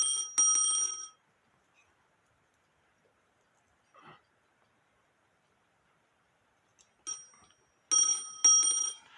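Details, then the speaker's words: Black Forest Postman's clock with alarm, no known maker, dated 1840 by an expert (owner estimated 1850–1880), reassembled after tightening: sharp, loud, bright bell bursts separated by silence; alarm strikes cleanly, louder than before, working normally. "is tighter. Would that wake you up? I'll put it on the table and see what it does. Like I said, it is louder."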